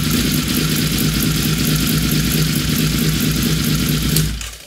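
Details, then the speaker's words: Honda VFR750 V4 after synchronizing the carburetors to cure a high idle, barely warm: smooth, even, fast burble at steady idle with no misses or hunting, then it shuts off; normal idle. "yeah i love that sewing machine that thing is dialed in pretty good"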